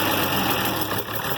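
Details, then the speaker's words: IH Farmall 706 with a newly fitted carburetor, basic idle being set: an uneven, hunting idle with a loose, stumbling beat. The idle mixture needle still needs adjusting. Rough idle from unadjusted idle mixture. "Yeah, it's still not at a happy idle. And it might not be. We might have to adjust a bunch on the mixture needle."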